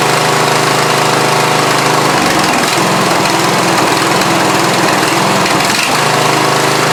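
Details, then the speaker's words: Lawn tractor just after carburetor reassembly, with silicone cleaned off and new gaskets fitted: steady, even small-engine drone that holds speed without stumbling or surging. It runs great; normal running. "Ching so yep she running great"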